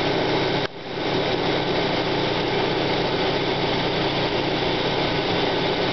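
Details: 1995 Plymouth Neon Sport DOHC at cold idle: a steady, dry gritty grinding right after start-up that fades as the engine warms; owner notes the timing belt walks on the idler pulley and suspects the idler bearing or water pump, unconfirmed.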